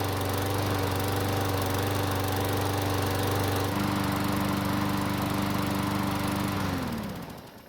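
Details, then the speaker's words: Old Craftsman mower that wouldn't start after winter storage, after new air filter and priming: runs smooth and even with no misses or surging, then winds down cleanly at shutoff; normal running. "luckily it started with no issues and it sounds fantastic now for being as old as it is"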